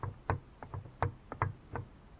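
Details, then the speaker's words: 2012 Volkswagen Jetta at 20,000 km, light knock over bumps from top of left front strut; irregular dull knocks about three per second; about 5 mm gap between top mount cup and spring, fixed by fitting rubber hose on spring. "volkswagen jetta 2012 год на пробеге 20 тысяч километров начался звук легкий при переездах кочек с верхней части стойки левый амортизатор"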